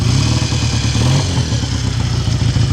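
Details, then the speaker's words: 1959 BSA A7 Shooting Star 500cc twin, kick-started cold on the choke and heard near the exhaust: a lumpy but steady idle with no misses or stalling. Normal cold idle. "Take a little bit of warming up before we want to rev. Revix is cold, but you can have a little listen by the exhaust."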